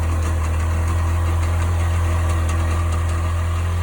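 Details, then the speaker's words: 1998 Sea-Doo GS 720 two-stroke at idle: a deep steady drone with a rough, irregular rattle on top; the cause of the strange noise is unknown. "So what the hell is that noise? Any help's appreciated."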